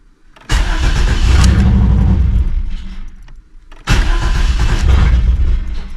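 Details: 1988 Camaro RS that sat over a decade, new fuel pump installed; two bursts of steady cranking about three to four turns a second, never catches; owner suspects fuel pump stopped or something dirty; crank no start.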